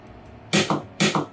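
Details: Working solenoid on an 8 Relay Board Manager 1.4 setup, tested among 8 solenoids where 3 are dead: two crisp clacks half a second apart, each a sharp strike and softer return, so it fires and releases properly.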